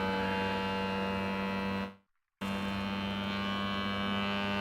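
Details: Voron Legacy 3D printer during input shaper resonance test, sweeping around 41 Hz: steady buzzing tone with overtones and a short pause as the toolhead shakes; normal calibration vibration.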